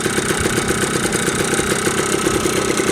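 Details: Yamaha Blaster two-stroke ATV after a top-end rebuild, breaking in on 32:1 premix with fresh oil: a crisp, even, buzzing idle with no stumbling or knocking.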